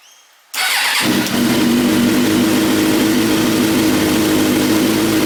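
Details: Suzuki GSX-R 600 that had a C28 secondary throttle valve code and check light, after the FI code cleared: fires up immediately and settles into a steady, even idle with no misses or knocks; running normally.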